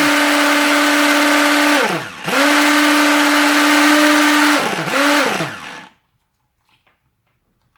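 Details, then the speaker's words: Tefal Optiblend 1000 W hand blender set running in its jug, with the button held down: a loud, steady, high motor whine with two spin-downs and restarts. Noisier than the previous mixer, partly because it runs inside the jug, but operating normally. "Bu 1000vat olan model biraz ses çıkartıyor açıkçası"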